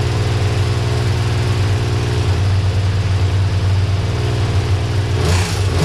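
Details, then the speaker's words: Honda CBX1000 first run after revival, revved to about 4000 rpm, carbs still to be rebuilt. A fast, light ticking over the exhaust, traced to cylinder four. Owner suspects a top-end cause rather than rod knock, unconfirmed. "so looks like it's cylinder number four that's making the sound so doesn't sound like rod knock it doesn't seem deep enough seems like it's a very fast pace so something top end would make sense"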